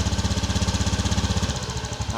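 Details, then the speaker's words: 2018 Honda Beat eSP scooter after fuel filter/seal replacement: quick putter, fast at first then slowing as idle drops properly after startup; normal idle settling. "Ini yang normal ya kalau nyala teh. Jadi dia ngecuk dulu ya dikit. Ngukc ngecuk dulu dikit. Jadi pas lamsamnya itu tuh dia tinggi dulu."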